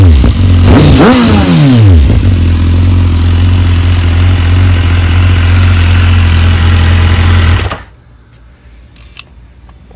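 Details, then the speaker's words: BMW S1000RR at about 26k, original owner, exhaust fitted with a decibel killer insert so it sounds quieter: quick rev swoop on start-up, then a smooth steady idle before shutoff. Runs healthy. "so I'll start it up real quick it is a little quiet with the decibel killer insert probably take that out at some point but yeah we'll just start it up"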